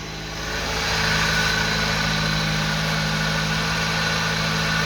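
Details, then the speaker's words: British Leyland Austin Princess first start after restoration work, in a snowstorm, warming up from cold: smooth even idle settling after a light blip, steady low hum, no misses or tapping; healthy. "Oh, it's good to hear her again. Oh, what a beauty. Let's get a bit of heat into you, darling."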